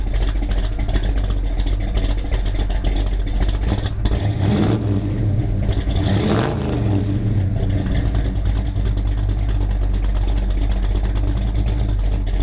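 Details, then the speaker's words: V8 after new Holley 4150 carburetor is sorted out: deep steady rumble that picks up cleanly on a throttle blip and settles back evenly, no misses or pops; running healthy. "Now that's what I'm talking about. She's running beautiful. Sounds good, makes all the right noises."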